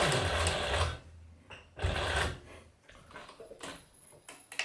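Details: Singer 107W1 sewing machine with 12-pole servo motor, after belt replacement, zig-zag stitching folded sail cloth: short bursts of quick, even stitching about three stitches a second, clean starts and stops, no knocking; sewing properly.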